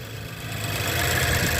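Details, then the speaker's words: 2012 Nissan Juke 1.6 turbo with direct injection, after CVT pulley bearings were replaced with roller bearings and 3–4 days of driving, idling in a cold, windy parking lot: an even idle with a light injector tick and no misses. A normal idle. "All right, guys, we're in the parking lot. She's idling pretty good."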